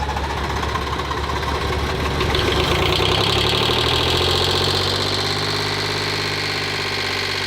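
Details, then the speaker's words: Old garage-sale diesel chugging at about four beats a second with an uneven, loping, wandering knock; stumbling, owner suspects a plugged fuel filter. "That fuel filter is probably plugged up."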